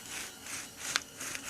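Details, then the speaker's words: Worn left rear hub bearing assembly (all-in-one unit) removed from a 2005 Subaru Outback 2.5i, turned by hand on the lap: a dry, gritty rasp, the grinding heard and felt from the worn bearing. "can hear it grinding and feel a grind it's pain in the butt getting off"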